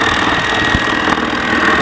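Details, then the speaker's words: Mammotion Yuka 1500 robot mower: a steady, loud rushing drone with a constant mid-pitch tone; the spinning grass collection basket makes the noise. "alors elle fait du bruit parce que c'est le panier hein le panier il a une grosse qui"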